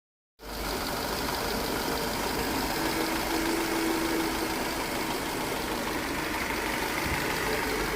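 Engine catches and settles into a smooth, even idle with no rattle or clatter; the timing chain sounds quiet and healthy.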